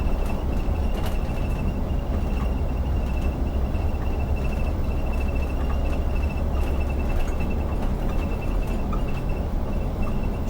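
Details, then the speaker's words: Iveco Crossway bus driving empty: heavy diesel drone with road noise plus thin high buzz and scattered light ticks, rattling in cabin; driver unsure of source, suspects a hatch no longer held by his bag. "d'où il vient ce bruit je sais pas d'où il vient ce bruit je suis désolé vous allez peut-être entendre ça toute la vidéo"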